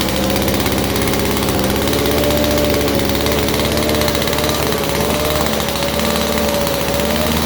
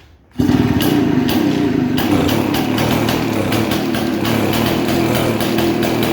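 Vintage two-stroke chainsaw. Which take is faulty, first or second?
second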